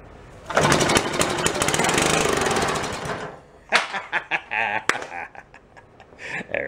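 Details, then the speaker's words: $5 antique Briggs & Stratton single-cylinder, spark and compression restored, rope-started on a little fuel poured in before the carb clean: rapid, even popping for about two and a half seconds before it dies out; it's a runner. "right, she's a runner."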